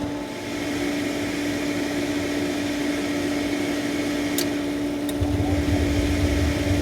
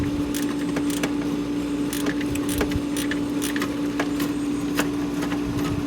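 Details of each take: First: Hayward propane pool heater after gas valve replacement: steady fan hum, then a deeper even roar as the burner lights and runs smoothly; normal burner operation after a grinding noise and no-fire fault. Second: Hayward propane pool heater makes a steady harsh buzz with irregular scraping, grinding ticks on start-up; the inducer motor was ruled out, the fault progressed to no-fire over about two weeks, and the failing propane gas valve was replaced.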